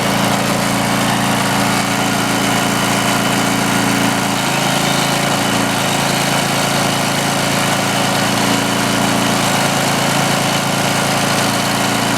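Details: Greenlee 5000 W generator bought at auction, missing its air breather, powering a drill: a steady, even engine drone holding speed without hunting or stumbling. It runs healthy under load and gives more power than a smaller generator.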